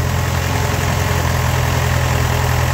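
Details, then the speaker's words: Ford-built M151A2 military jeep, 141.5 cubic inch engine, stored 20 years, about 48 psi oil pressure: steady idle with a dense, buzzy rattle appearing 15–20 seconds after starting and vanishing about a minute later; cause unconfirmed. "And, you know, 15, 20 seconds later, here come the rattle. Well, I don't know, a minute or so later, the rattle disappeared."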